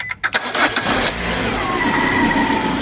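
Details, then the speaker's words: Peugeot 207 1.6 (NFU, Bosch ME7.4.4) after fix for P0616 no-crank: an external relay fitted (terminals 30, 87 to starter, 85 ground, 86 signal); brief crank, catches at once and settles to a steady idle. "وقت اللي بنضرب مارش هذيك ساعات فحصناه كان عم يوصل كهرباء لهون على 86. دور. هلا حندور السيارة."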